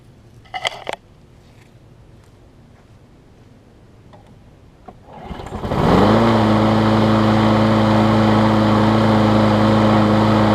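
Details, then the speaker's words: John Deere JS63C mower after carburetor cleaning with the needle reseated; it had been running rich and fouled the spark plug. It fires after a couple of pulls and settles into a steady, even drone with no surging or missing, running normally. "because it was running rich and ended up fouling up the spark plug that was in it and it seems to run run better now I just got it cleaned up so I'm gonna give this thing a start and we'll see how she does"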